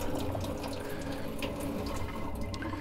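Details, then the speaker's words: Watts 909 1-inch RP backflow assembly from a sprinkler system, inlet on, outlet shutoff closed: steady heavy rush of water pouring nonstop from the relief valve. "so we've got it coming out pretty good out of the relief valve right now so we need to figure out what's going on with that"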